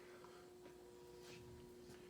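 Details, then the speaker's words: Antica Model A 52-inch ceiling fan, cast iron motor, 120 V 60 Hz, likely made around 1983, reversible: on slowest variable speed in downdraft, a faint steady low buzz at one pitch; resonant hum from the variable speed control. Speed control hum. "And of course you can hear the fans doing its resonant buzz there from the variable speed control system."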